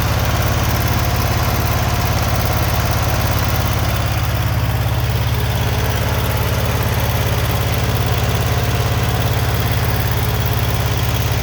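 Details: Generac GP15000E generator running on fresh fuel after stale year-old ethanol 87-octane fuel that prevented starting was drained; started on choke, smooth even low thrum, no misses or surging.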